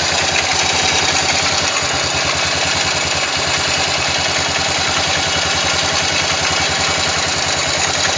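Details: Yamaha XT 500 single at steady idle: extra clattery tick over each beat despite valve clearance checked and ignition set and strobe-verified; abnormal engine noise, source not pinned down.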